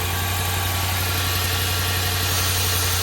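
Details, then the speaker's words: Engine idling with the PCV valve removed, its port pulling manifold vacuum: steady idle with a faint uneven pulse and a hissy rush; a big vacuum leak strongly sucks a dollar bill, and covering the hole changes how it runs. "obviously because that's a pretty big vacuum leak that we've created and so that's what was sucking the dollar bill down."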